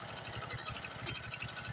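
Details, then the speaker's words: Honda Supra X 125 motorcycle at idle before teardown, rough noise: fast, light, regular clatter over the beat; timing check shows cam chain worn and slack, needing replacement; cam chain rattle. "ini suara piston rantai mesin dan lain-lain kemungkinanangnya juga tetapi perlu dicek"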